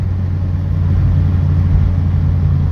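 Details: Mk2 track car with a freshly swapped high-compression ITB 2.0 16v race engine, cruising gently in the wet: steady, deep drone with no sharp metallic pinging. The driver wondered if it was detonating, but it is normal resonance.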